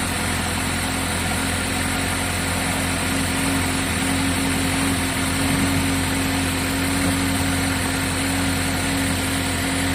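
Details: GMC with 2.4 engine, codes P0300, P0352 and P050D (cold start rough idle), ignition coil current being checked: busy, uneven idle with faint stumble over steady hum; one cylinder still misfiring at idle.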